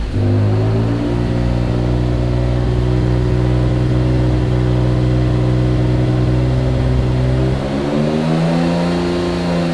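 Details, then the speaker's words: Mitsubishi 3000GT VR4 with rebuilt engine, after about 200 miles on cheap pulleys, run without the alternator connected: revs held near 2500 rpm then rise smoothly with no hum; one of the accessory pulleys was humming, water pump suspected of squeaking. "so one of these pulleys is what's humming at 2500 rpm"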